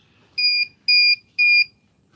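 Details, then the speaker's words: FPV goggles: three short, clean high-pitched beeps about half a second apart, then quiet; the goggles' normal status chirp. "Hear the chirping of the goggles."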